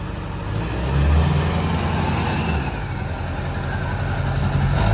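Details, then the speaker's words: 2002 Ford F350 dually, 7.3 Powerstroke diesel, about 183,000 miles, 5-inch straight pipe with 6-inch tip: deep steady rumble settling to an even idle with no knocks or misses; healthy. "Yeah, that sounds pretty nice. That is the 7.3 Powerstroke."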